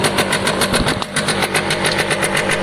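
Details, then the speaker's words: Piaggio Diesis 100cc two-stroke scooter at a ragged idle: rapid sharp puffing ticks about seven a second from exhaust escaping through a small hole in the pipe; another leak heard but not found. "I can hear a hole somewhere else, but I can't see one."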